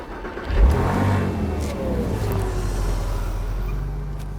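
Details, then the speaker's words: 1997 Porsche Boxster cold start during secondary air system check: engine cranks and catches into a fast, even cold idle with a steady whir from the secondary air pump; starts normally, pump running as intended. "the engine's cold right now we want to hear that the secondary air pump turns on we want to verify that everything with the DME is working"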